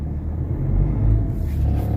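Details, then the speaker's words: Ford Ranger 3.2 diesel with an electronic pedal, restarted after an engine treatment for low power and vibration: deep diesel rumble swells smoothly as the accelerator is pressed and picks up cleanly without hesitation; normal throttle response. "Kita mo yung kita mo yung galit ng makina oh. Ayan oh. Makita mo yung galit ng makina guys pag inapakan mo yung accelerator, pedal."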